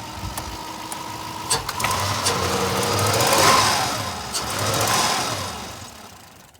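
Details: 2000 Toyota Land Cruiser that didn't run, just revived roadside with throttle body and MAF reconnected, other electronics unhooked: engine climbs and falls cleanly through two throttle blips with no knocking; normal revving.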